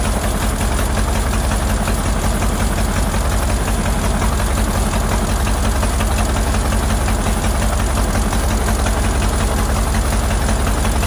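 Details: Ford Model AA doodlebug (cut-down farm truck), old four-cylinder, running: lumpy, loping idle about three beats a second. Shorting plugs with a screwdriver shows cylinders 3 and 4 at the back not pulling; owner earlier suspected a stuck-open valve.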